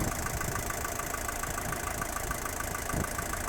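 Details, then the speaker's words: 1977 Mercedes-Benz 240D W123 diesel, cooled somewhat after a drive, idling smoothly at about 500 rpm with 45 oil pressure and a steady, even light clatter; sounds healthy. "you can hear that it is down at about 500 RPMs there and this is about where I like to keep it right there"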